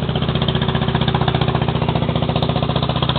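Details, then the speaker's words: Lawn mower small single-cylinder engine, warmed up after a cold start. It idles at a quick, even putter of about four beats a second, steady and unmissed. It fired up easily after the throttle was opened a bit. Normal idle. "all right I think it's warmed up enough to idle by itself well it's running that pretty good too yep it still sounds"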